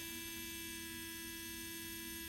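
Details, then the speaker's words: MelodySusie cordless nail drill at the highest of its three speeds: a thin, steady high whine with clean level tones and no wobble or rattle, the normal sound of the motor spinning freely. "so you just press this button one that's what it sounds like at the lowest speed at the highest or the middle speed at the highest"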